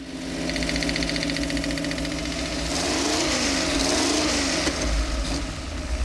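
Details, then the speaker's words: Mopar 360 small-block V8 high-performance build idles with a sharp, regular ticking knock about four a second; rockers checked fine, found to be a bad exhaust header leak. "hey groucho marx turns into sherlock holmes i think he found something hell of an exhaust leak that noise was"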